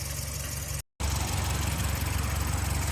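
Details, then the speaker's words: Cranking compression test on a 12A rotary in a budget Mazda RX7: starter spins the engine with even, quick pulses of about three per second, no dragging or uneven beats. One rotor chamber read 100 against an 85 minimum, so compression is healthy. "Alright, that was a very satisfactory compression check. Thrilled about that."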